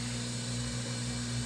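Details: Whirlpool Duet washer after fixing the drain pump behind an F21 error: a smooth, steady motor hum with an even drum spin, no grinding or sputtering. The drum is now draining and spinning normally.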